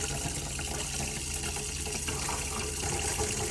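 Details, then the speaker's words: Campervan fresh-water pump running with tap open, a little air then up to pressure; water rushes over steady low hum, no surging or rattles; normal water pump running. "wait for the water pump to kick in there you go and then go to the heart in here just a little bit of air there"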